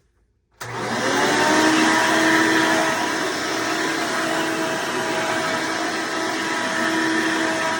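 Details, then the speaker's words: Hoover Decade Soft & Light Elite vacuum owned since May 2024, retest after 20-bladed fan impeller upgrade and greased motor bearings: motor spins up quickly to a steady high whir with slight scream on top; noise reduced, owner suspects it may just naturally be a bit of a screamer; normal running. "maybe this thing's just naturally just maybe this this noisy here folks so it looks like it's reduced some of the noise levels on here for the most part"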